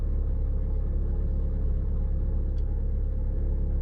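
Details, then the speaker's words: Chery Kimo cold-started at idle with clutch depressed: steady low rumble, rough cold running note with no distinct knock or whine; owner says this is not the under-hood noise being investigated. "вот такой вот звук на холодную если сама камера со звуком сможем передать"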